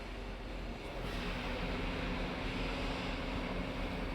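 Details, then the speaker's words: Electric cooling fan on a Ford commanded on through a ThinkDiag scan tool actuation test (fan control) with the engine off; steady low whoosh and hum, no rattle or scrape, then slows down when stopped; normal cooling fan operation. "start i didn't hear the fan run oh yeah it's running"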